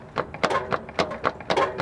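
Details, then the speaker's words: 2004 Toyota Sienna, 275,000 miles, clunking complaint: sharp metallic clunks about four per second as the wheel is rocked, heard from underneath; rear transmission mount worn to bare metal — worn transmission mount clunk. "i can see the transmission mount on the back is worn that's what's cracked the hardest one to get to of course you can really hear it she's gonna be wiggling the tire we'll go underneath there it is and the back mounts wiggling back and forth"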